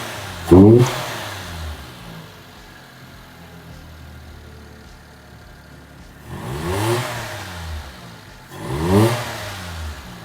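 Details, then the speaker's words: Mitsubishi Toppo BJ with homemade Blitz intake and Blitz exhaust: three sharp free revs with raspy rising intake roar, falling back to light idle between blips. "And it sounds pretty freaking gnarly. It sounds like raspy, like an intake, legit. Coupled with the Blitz exhaust, it sounds cool."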